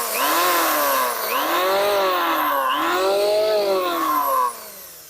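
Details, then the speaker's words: Richu electric planer, rerun after blade balancing: no more vibration, but a very loud, rough whirring with a rising and falling whine as it spins up; worn bearings turning in their housing. "tidak memang ini sudah tidak bergetar tapi ada suara yang sangat keras"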